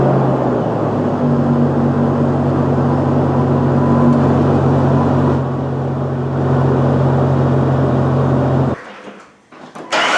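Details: Jeep Wrangler TJ 4.0 six, running after replacing a distributor with a wiggly bearing, done to chase a recurring misfire: steady, even engine note with a smooth low hum and no stumble or miss before shutting off.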